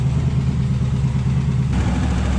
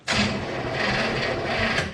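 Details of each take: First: Warmed-up 283 V8 in a 1967 Chevrolet Impala with Powerglide, sitting since 2005: steady, deep, even idle before shutoff, sounds okay; earlier slight lifter tick, no funny noises or smoke. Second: 1967 Chevrolet Impala, 283 V8, Powerglide, sitting since 2005, cranked on booster pack: slow strained whirring crank for about two seconds, never catches, worse than before; battery dead, battery cable ends suspected.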